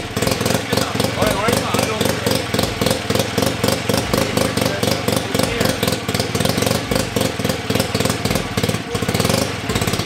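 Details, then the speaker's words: Rebuilt 1975 KC27 294cc rotary engine from a Hercules W2000 motorcycle, carburetor tilted, first runs: quick even firing pulses at steady idle, no knocks or rattles – runs cleanly, normal idle. "oh yeah okay that's that's all we needed to see this thing runs good we are ready"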